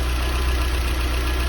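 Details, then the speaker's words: Porsche 924 Safari after new coil, cap, rotor and cleaned earths, timing set to 20 degrees before top dead centre: smooth, even low idle with no misses or knocks, about to be left idling ten minutes to test for a hot-running stall. "right she's really running nicely so i'm gonna let her idle and uh for at least another 10 minutes"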